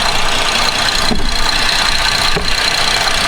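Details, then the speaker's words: 2011 Buick Enclave 3.6 that starts and stalls with no codes, at steady idle after plugging back in the connector that cleared the hitching: fast, steady knocking, something hitting near the cam sensor; cam phaser knock. "so I'm going to plug this thing in there's something hitting that cancer"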